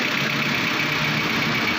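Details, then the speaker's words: 2015 Suzuki Cultus at idle, also with poor pickup and high fuel consumption. A busy, light, sharp top-end clatter rides over the running: noisy valve tappets. "आवाज़ भी ज़्यादा है, पिकअप का भी मसला है, और फ्यूल एवरेज भी काफ़ी ज़्यादा है।"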